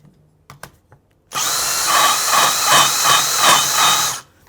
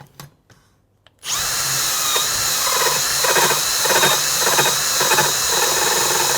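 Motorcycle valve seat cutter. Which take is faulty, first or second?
first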